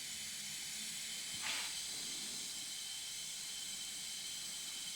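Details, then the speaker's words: Husqvarna FS450 engine off during leakdown test, moderate leakage on gauge; steady quiet air hiss escaping past the exhaust valves, not past the rings, leaky exhaust valves. "okay moderate definitely not good okay i can hear that straight away yep we have leaky exhaust valves"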